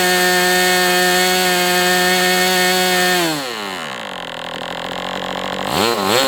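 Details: MDS 68 FS Pro model engine on a break-in run, heavy exhaust smoke: steady high buzz, then sags and wavers as the tank runs dry and it sucks air. Running well, better than with the idle bar plug.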